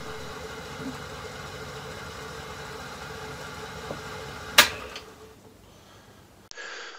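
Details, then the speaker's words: Myford ML7 lathe (grey, original paint), bed hand-scraped and partly restored, rotary switch removed and on/off switch used instead, tested at highest speed: quiet, even motor hum, no knock or vibration, switch click and smooth spin-down; runs normally. "initial testing at the highest speed I would claim that this runs smooth and quiet and know what discernible vibration"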